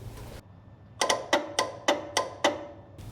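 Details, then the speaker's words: 1968 Ford F100, 360ci V8, 4-speed: grounding the new horn contact makes the horn relay beside the battery click sharply about seven times in quick succession, but the horn stays silent; wiring from horn area to relay good, steering-wheel-side continuity still to check. "Okay, you guys can't hear that, but there's like a relay clicking. And that's a good sign, but the horn's not working."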